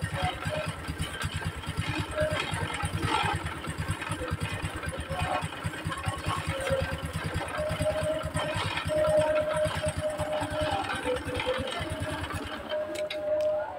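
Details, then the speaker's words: Honda Supra X 125 with a poor aftermarket centrifugal clutch lining (code KPH, thicker than original) that caused clutch-area clatter, oil refilled: steady, even putter with no knock; smoother, healthy idle. "Dan di sini kita dengarkan ya teman-teman, suara lebih halus ya dibandingkan suara sebelumnya."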